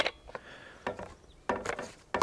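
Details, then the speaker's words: Craftsman V20 CMCE600B cordless caulking gun dispensing waterproof sealant: sharp crackling pops in short bursts about every two-thirds of a second while the plunger drives, gears seem to be popping or skipping back. "One thing I do not like right off the bat is it sounded like the gears were popping a little bit as I was running this in."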